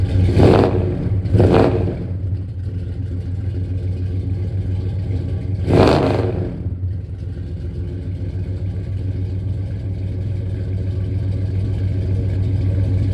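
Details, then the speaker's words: 1967 Dodge Coronet V8 on open headers, before Flowmaster exhaust is fitted: deep, loud rumble with two sharp throttle blips, then a hard, lumpy idle with no muffling at all. "As you guys know, it has open headers, and then we have getting some Flowmaster exhaust put on, and it'll sound a hell of a lot better, run a lot better, and maybe my feet will stop getting so hot."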